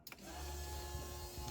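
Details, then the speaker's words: RB30 turbo swapped into a VN Commodore, with first wiring and the key turned on: a click, then a steady low electric buzz with a faint even whine as the fuel pumps prime. The fuel pressure regulator still needs adjusting. Normal fuel pump priming. "So yes, fuel pumps work, ECU has power. Well, I haven't checked that the ECU has power, but obviously it has power because the fuel pumps work."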